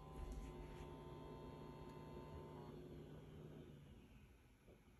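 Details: New Hisense 120L10E: a steady low electrical buzz with a faint higher whine for about three seconds, then fading; source unclear.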